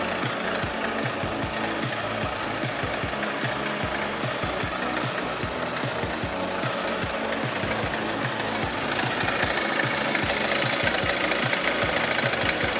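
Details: Bros 160 motorcycle running: sharp, regular ticking at nearly three per second beats through the engine under music. Engine knocking noise, cause unknown.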